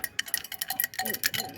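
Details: Jetsurf GP100 exhaust, five years old, removed and shaken by hand: bright metallic clinks and rattles with each shake; a small curved piece of pipe, likely corroded off, is loose inside.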